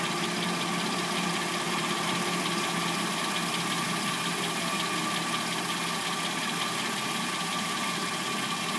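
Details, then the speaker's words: 2006–09 Hyundai Sonata replacement engine, started after sitting overnight, at warm idle; a light, fast clacking over the engine note, with the owner suspecting the timing chain, though this is not confirmed. "we're going to hear what the car sounds like from start until when what I assume to be the timing chain, um, before it starts making its little clackety noise. can hear the timing chain noise."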